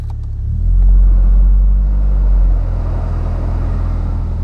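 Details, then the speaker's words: Honda with suspected idle trouble when AC is on, throttle body check: steady idle rumble dips slightly as radiator fans kick in with a whooshing hiss; idle stays smooth, gauge dropping from about 1.5 to 1.1, awaiting known Honda idle drop. "Okay, it sounds better. I'm at 1.5 right now. Oil's good. Radiator fans kicked on. I'm at like 1.1."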